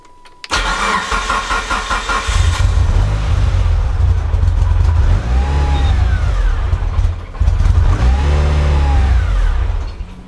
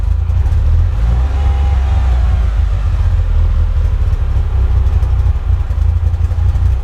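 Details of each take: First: Mitsubishi EVO first real startup after fuel pump hanger wiring work, no air filter fitted: catches and revs, then idle sags and surges unevenly instead of settling; won't keep idle, no obvious leaks found. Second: Mitsubishi Evo first real startup, idle about 900 RPM, oil temp 54, water temp 70, no ticks, knocks or check engine lights; small throttle blip and revs settle straight back to even idle: normal rev return.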